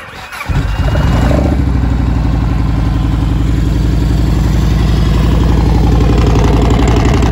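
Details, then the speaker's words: 2002 Yamaha Warrior V-twin with factory big air kit and velocity stacks: starter seems to work hard to turn it over, as it always has, then catches into a steady, even low-thump idle, no knocks; owner says it runs great, RPM set right. "like a kid, runs great. RPM set right."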